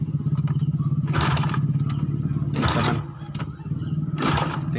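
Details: Yamaha SRL 115 FI (Lagenda 115 FI) cranking, injector tested strong but fuel pump not making enough pressure for injector; repeated starter bursts churn the engine without catching. Crank no-start from low fuel pressure.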